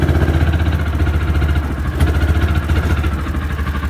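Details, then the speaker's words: Old, worn Kawasaki Mule in forward gear: an uneven, low putter under load dips and stumbles close to stalling, and it keeps stalling. Owner suspects a transmission issue or a cold engine. Sputtering in gear. "Alright, now it's in forward gear. Hear that sputtering?"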